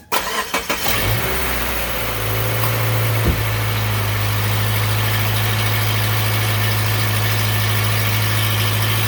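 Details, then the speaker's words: 2014 Subaru Impreza with a rattle under the engine that began after exhaust parts were replaced. It idles steadily with a faint metallic rattle after the exhaust was tightened. Probably not an exhaust leak; a torque converter noise is possible but unconfirmed. "sounds like it may not be a gasket um sounds like it might not be exhaust leak after all something maybe even more serious"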